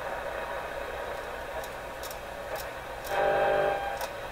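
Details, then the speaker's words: Canadian General Electric KL-96 tube radio while testing after antenna wire work: irregular sharp clicks and pops about once a second under the hiss; intermittent crackling, owner suspects a tube, origin unknown. "it's definitely some up in here let's make a little bit of scary poppy sound I don't know if they can fear the tiny taking clicks that are coming in with those pops like that sound too much"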